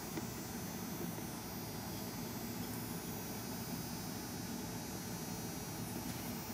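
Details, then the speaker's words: Joule thief oscillator built with a 2N3055 transistor, 24- and 90-turn coils and a diode, fed under 1.2 V and dimly flashing an unmodified 13 W 120 V CFL: low, even electrical hum with no dropouts; the circuit is working. "so to turn it on can you hear that I hope you can hear the hum now it's uh it's not working miracles but it does Flash that compact fluorescent"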